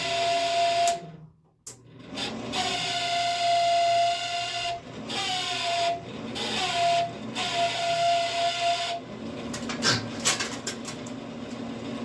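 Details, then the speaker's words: Camp Chef SE pellet smoker, auger motor after rain-soaked pellets jammed the auger, cotter pin reinstalled: steady mid-pitched whine stopping and restarting with some scraping; noisy auger drive, cause unclear. "I don't know why it's being so noisy. Let me see. Let's see if we can turn it on."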